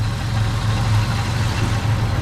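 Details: BMW E12 after fuel tank cleaning and a new fuel pump, first start after the fuel-cutting fix, fuel pressure at 30: low, even rumble holding steady with no hunting or skipping, healthy idle.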